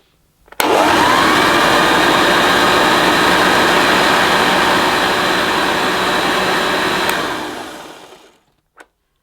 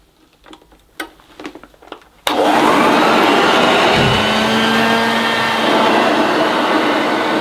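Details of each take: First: 1976 Hoover Junior Dirtsearcher upright vacuum, new in box, first switch-on; motor spins up to a steady even whirr with the brush beating smoothly, then winds down cleanly; rubber still needs warming up. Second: NIB 1976 Hoover Dirtsearcher vacuum, first switch-on, second run: motor kicks to a steady rushing whine and drone with no brush beat; suction pulls carpet to the nozzle and stalls the brushroll, new belt suspected needed.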